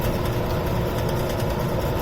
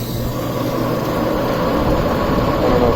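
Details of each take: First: Rebuilt warehouse exhaust fan, new bearings, pulley adjusted to draw 4.2 A (4.6 A max at 115 V): even low hum with faint rhythmic pulse, slight fan blade wobble, no bearing noise — normal running, much quieter. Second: Old warehouse exhaust fan before repair: steady fan roar with a rough, uneven rumble and churning building slightly as it runs; worn blower bearings, to be replaced along with motor.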